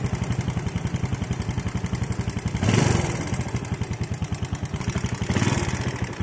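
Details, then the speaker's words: Yamaha Jupiter Z single-cylinder that is hard to start, at idle: a quick, even tick on every beat above the thump, said not to be the cam chain. Valve clearance is being checked; if it is normal, the piston is suspected. "Oke kita cek untuk setelan klepnya terlebih dahulu Kalau memang setelan klepnya itu normal nggak terlalu kendor berarti penyakitnya itu di bagian pistonnya ya"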